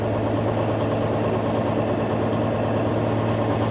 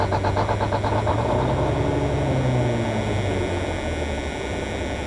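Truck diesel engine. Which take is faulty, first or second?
second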